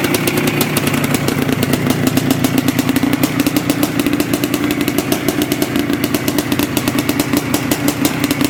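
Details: Yamaha IT490 two-stroke after engine install and rebuild, running 40:1 premix after a few heat cycles, with a temporary silencer stuck on; regular popping around nine beats a second at idle, steady and even with no misses, healthy.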